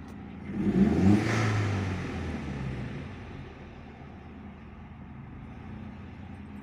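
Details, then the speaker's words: SEAT Leon Mk1 (1M) 1.8T petrol with new TiAL blow-off valve, soft original spring: revs rise and fall with a soft airy hiss lingering after throttle closes; valve seems to stay slightly open, a small leak, spring to be changed. "Como que tiene una fuguita, ¿eh? Como que se queda abierta, vamos a ver."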